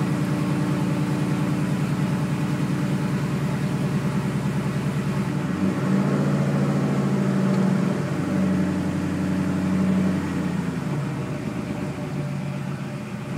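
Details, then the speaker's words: W6 Rampage with no misfire code, only a long-standing P0463 fuel level sender code, coil packs and plug wires checked: idle pulses unevenly about three beats a second, lumpy and stumbling; suspected misfire, cause unconfirmed. "car won't start it seems like it's misfiring the only thing is it's not throwing a DTS code that says Pio 300 or anything like that the indicates misfire"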